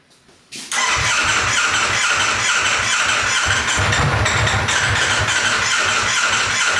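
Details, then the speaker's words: Wrecked 2024 Ducati Panigale V4 being rebuilt as off-road bike, first run, full tank: uneven stumbling low pulses under loud mechanical rattle, not settling to clean idle; sounds like limp mode, bad gas suspected, unconfirmed. "happy hey is there gas in it yeah it's full [Music] tank almost sounds like it's in a limp mode or something"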